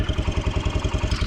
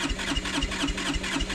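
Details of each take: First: Kawasaki Brute Force 300 ATV with a Kymco engine, after a valve adjustment and gasket repair. Steady, even single-cylinder idle with low pulses about nine per second and no ticking or misses; normal idle, though a slight chirp from below is noted elsewhere. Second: Starter churns with a steady chuff about four times a second and never catches on a Kawasaki Brute Force 300 ATV, Kymco engine, black plug, backfiring, compression 180; starts only by playing with the starter button, never with the choke on; a tight intake valve is suspected.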